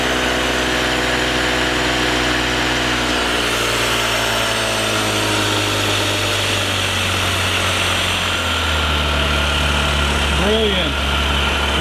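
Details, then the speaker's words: Metropolitan two-stroke CVT scooter, first run after carb replacement, throttle sticking and being adjusted: uneven, slightly labouring idle buzz; owner suspects too little oil despite oil change. "because it does kind of run a little hard a little rough which means it might not have enough oil in it right now even though we did change it and drop it"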